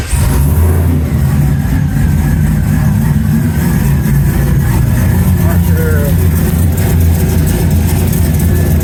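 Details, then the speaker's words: Aeromotive A1000 fuel pressure regulator setup: pressure has dropped to about 35 psi, and the engine barely runs on a heavy, laboured, steady rumble with no clean rev change. This is fuel starvation, suspected from a restriction at the fitting or inside the pump body. "She's gone about 35 PSI and it's barely enough fuel for it to run now."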